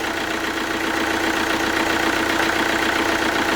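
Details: Alfa Romeo Giulietta diesel after water pump failure rebuild, cap off bleeding coolant, warming up: steady even idle with regular light clatter, no knocks or misfires; healthy.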